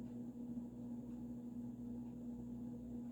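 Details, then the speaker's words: Supreme Mark II 52" spinner ceiling fan, early 1980s, variable speed control turned down into medium-high range; a steady low-pitched motor hum under a faint airy hiss begins to be heard; motor hum. "And you can start to hear that motor hum. So this is getting into medium-high range."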